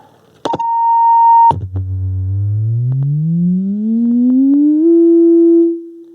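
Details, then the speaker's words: Radio Shack Realistic MC-800 speaker after repair of noise source, sine sweep from about 45 Hz: clean tone gliding upward without buzz or rattle; speaker plays normally. "now let's listen to it and we'll start down here about 45 Hertz again now we're good there"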